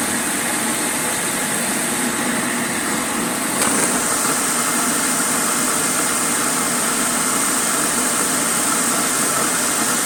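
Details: Electrolux Dolphin Z2230A vacuum cleaner, first power-up after 5–6 years stored in a shed, mouldy and filthy: steady rushing roar with thin high whistle, even, no rattle or grind; motor runs normally, though an awful noise occurs on wind-down.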